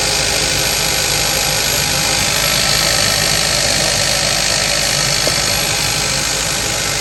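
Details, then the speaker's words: 2015 Kia Forte 1.6 GDI after replacing a coil found bad for multiple misfire codes: even idle with steady hiss and injector ticking, no stumble or shake; running smoothly on all cylinders. "Things happen, but we're running perfect."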